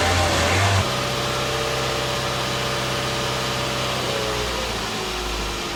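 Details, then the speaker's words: Car that sat for over a year, after a new battery was fitted: the starter churns briefly, then the engine catches and settles into an even, steady idle with no misses or knocks. "Sweet. Yay! All it took was a battery, Sneasel."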